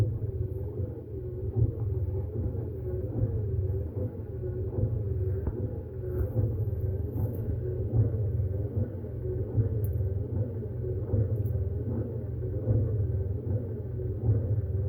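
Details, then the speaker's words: Hemi Duster with newly installed windshield wiper transmission, motor run off a 12-volt battery charger: low steady rumble with an even slow sweep about every second and a half; wiper motor and linkage run smooth with no binding. "Oh, it's all nice and smooth, too. Like a washing machine."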